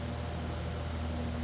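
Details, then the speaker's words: ILG Model 123 fan, 1/20 hp GE unit-bearing motor reassembled after servicing with fresh oil, full line-voltage test: steady, even low hum, only natural motor harmonics, no buzzing, rattle or drumming; sounds better than before. "No crazy loud buzzing when it started, just the natural harmonics of the motor. And um I'm not hearing any drumming sound coming from it."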